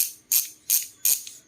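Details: Oil Slick Weapon Beast bicycle hub with the rubber dust cover refitted: three quick, crisp bursts of fine high clicking about every third of a second as the wheel coasts. It is slightly muted by the seal; a healthy ratcheting freehub.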